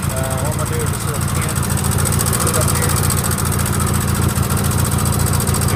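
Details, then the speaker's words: Sears GT18 garden tractor engine at idle, just started, plow fitted in snow: steady, fast, light ticking over an even idle thump, owner says the left intake valve has too much gap; valve tick from excessive valve clearance. "if y'all hear that ticking i know what it is i know i've heard people ask me about the house at the house but it is uh i know which valve it is it's the left intake valve it's got too much gap in it"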